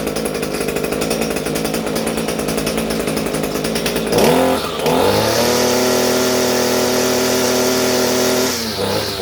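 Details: Echo SRM-230 two-stroke trimmer after carburetor replacement: buzzes at a steady fast idle, then revs up cleanly to an even high scream and settles back; running properly, further carb adjustment may still be needed.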